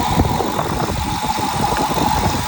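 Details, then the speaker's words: Idle of a salvage 2013 two-door access-cab pickup with 120,000 miles, a little rough at first then settling into a steady, even low rumble with no knocks or misses; normal idle. "okay a little rough at first but getting better not bad engine sounds"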